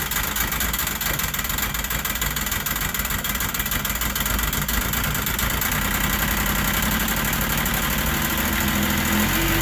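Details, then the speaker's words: Carbureted snowmobile or ATV two-stroke after long storage, started using a gas-soaked rag: it fires right away, then surges and sags unevenly for about 20 seconds, running on fumes until the dry carburettors fill. "so you can hear it start right [Music] away so that was uh actually quicker than I thought I thought it was going to stall a few times but you heard it start right away and there was probably a 20 second period where it was struggling to run as the carburetors were dry"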